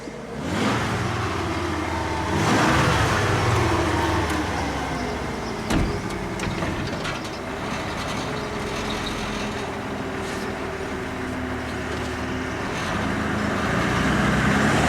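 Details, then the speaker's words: 1994 Ford F150 after new spark plugs, fixed EGR vacuum lines and a replaced injector, cold start: engine picks up smoothly on a blip and falls back to a steady idle, no hesitation or popping; revs normally. "A little bit, but it sounds better already. Does it rev up okay?"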